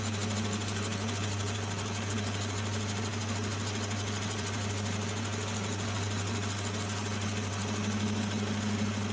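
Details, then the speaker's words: Lathe with a homemade milling jig machining steel angle. A steady drone with a rapid, uneven chattering rattle, about three per second, as the cutter machines off an old bolt stuck in the workpiece. "actually, that noise you can hear, there's an old bolt stuck in there, so I'm just machining that off as well."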